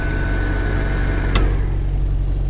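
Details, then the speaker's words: 1951 Henry J heater box blower: steady rushing air with thin even whine, loud like a wind tunnel, then a click and spin-down; heater fan works, runs smoothly and strong. "Let's see if she works. Does it work? Where's it at? Here? I can show you. Listen to that! No way, it sounds like a wind tunnel."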